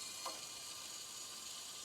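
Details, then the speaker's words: Hot water pipe with a hole under the concrete slab to a guest bathroom, water on: steady high airy hiss with no rhythm beneath the floor, slight knocking sounds; water then seeps up from under the slab toward the kitchen. "red lights okay I get it okay I can hear it going it's got some knocking sounds of some sort but slightly yeah"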